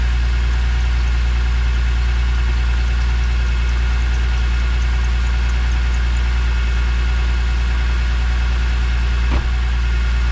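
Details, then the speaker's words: E46 BMW M3 first start after a failed CSL airbox left pieces in a cylinder, now with a redesigned airbox: steady, deep, even idle, valvetrain sounding normal with no tapping or rattle; healthy idle. "all right it's running it's running so far uh nothing uh OD I'm hearing valve TR valve train seems [Music] uh bit um have a normal [Music] sound"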